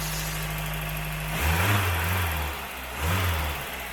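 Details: Mk1 VW Golf Cabriolet with a new carb and an electric fuel pump, started cold on choke after sitting unused: idle with a couple of blips and a faint light ticking over it; slightly tappety.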